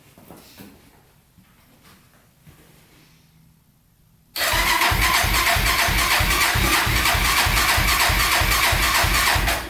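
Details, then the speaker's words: 1999 Honda 400ex carbureted single, baseline before turbo install, about -16 degrees in shop, new battery, fresh gas, choke on: starter catches and settles into a steady, even thump about three a second; healthy cold-start idle. "so while she runs it's about negative 16 degrees right now so a little cold in the shop today running with the choke on for a bit here running pretty good"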